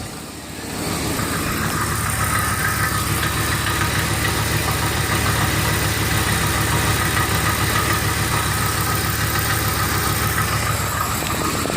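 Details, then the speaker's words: 2003 Ford Explorer idling, heard from the other side of the exhaust: quick uneven rattling knock about three per second that almost sounds like a rod knock; actually loose catalytic converter internals, mistakable for rod knock, broken flywheel or loose torque converter bolt. "it almost sounds like a rod knocking."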